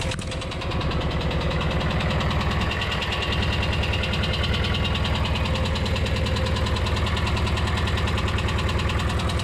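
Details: VW T3/T25 van ("Buggly") engine at steady idle during a minor home service: light, quick ticking about three per second following engine speed, tappety because it hasn't had a long run for a while; suspected tappet noise.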